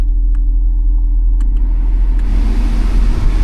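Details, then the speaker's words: Ford Escape, 109,446 miles, no check engine light, with an AC cooling complaint. With the blower fan on, sparse, irregular light clicks sit over a low steady rumble. Airflow is present, but the blower motor appears to be failing. "Let's try our fan. Okay, I'm getting some air, but it it makes like some clicky noises."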